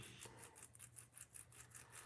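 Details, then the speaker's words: HPI Savage 25 nitro RC truck rebuild, wheel bearing cleaned and spun by hand: dry gritty rasp pulsing about four times a second instead of smooth; worn-out crunchy wheel bearing, to be replaced. "These are the wheel bearings for it. Just cleaning them up, getting the [ __ ] off them. And I don't know if you can hear it. This thing is uh Yeah, this thing's shot. It's crunchy as [ __ ]"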